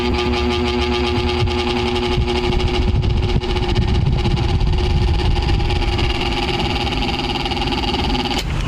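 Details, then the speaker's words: Eureka stand fan with guards off, running slow and noisy: steady hum with a coarse fluttering rattle from a worn motor bushing with slight shaft play; fix is replacing the bushing. "So pinuntahan ko yung may-ari at sinabihan ko na papalitan natin ng busing kasi may play ng konti. Kung ating aalugin dito meron siyang play kaya 'yan 'yung dahilan na tumutunog siya."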